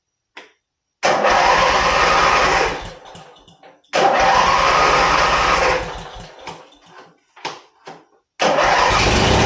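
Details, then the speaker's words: 1980 Sears Craftsman Indy 500 tractor, running again after the old solenoid was swapped and the battery replaced: it cranks, catches and runs in bursts with stumbles. Old fuel makes it smoke and run poorly, so a carburetor clean and fresh gas are planned. "well friends as you can see we got the tractor back to running it's running great it does have some old fuel in it so it's smoking a little bit it doesn't want to run real well"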